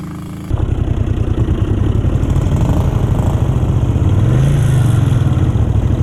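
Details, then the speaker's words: 1970s Honda 350 barn-find motorcycle that sat for decades and was revived: the old twin fires up and settles into a steady, even idle with a small rev lift and no knocks or misses. The clutch feels slightly slippy into second. Normal idle. "Yeah, it runs good. That's a nice bike, not really."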